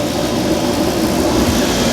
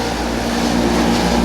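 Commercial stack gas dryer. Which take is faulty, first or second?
second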